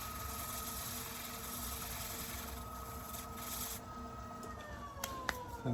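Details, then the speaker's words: Woodturning a black acacia bowl on the lathe, rim about a quarter inch thick: steady, even lathe hum and smooth cutting hiss with no chatter, after tool adjustments cured earlier chatter; the cut feels and sounds perfect. "feels and sounds perfect."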